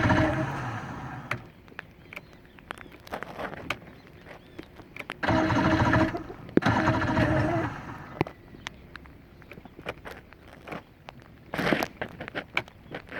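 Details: 115hp Johnson outboard that won't start, cause unknown; short bursts of starter cranking with scattered clicks between them, turning over briefly but never catching.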